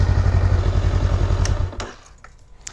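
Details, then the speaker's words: 2021 Honda Rebel 500 idling the day after a crash, checked for engine damage: a steady, even low thump with no ticks or rattles, then shut off with a few clicks; sounds healthy. "so like I said I wouldn't expect there to be anything necessarily wrong mechanically with it in terms of the mot or not running or anything but you never know"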